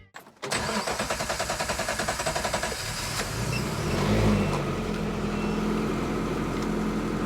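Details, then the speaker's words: Engine after replacing a faulty coil pack with a new one: short crank, catches and settles into a steady, even exhaust beat with no stumble; healthy idle after repair. "That's better. Much better. The exhaust sounds even now. That is what it's supposed to do."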